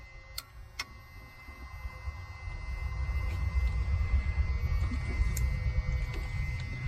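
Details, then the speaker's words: Long-sitting Freightliner FL70 truck with CAT engine, switched on: a few sharp clicks from starter solenoid with no cranking; suspected battery or connection/wiring fault, unconfirmed. "I could hear the solenoid clicking."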